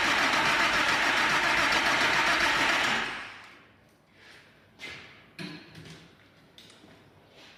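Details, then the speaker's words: Freshly rebuilt air-cooled Porsche 911 flat-six just reinstalled, first start attempt with no oil in tappets: fast steady cranking about four beats a second for three seconds, then scattered clatter with no sustained catch. "Seriously, I tried to play it cool in that workshop, but watching that engine fire up for the first time was a highly charged experience for me."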